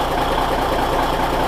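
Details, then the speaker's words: Cummins NHC250 diesel with a newly built pre-oiler, previously primed: instant oil pressure at cold start; steady, even low diesel thrum, no knocks or rattles; normal cold idle. "instant oil pressure hot dang I am a happy boy"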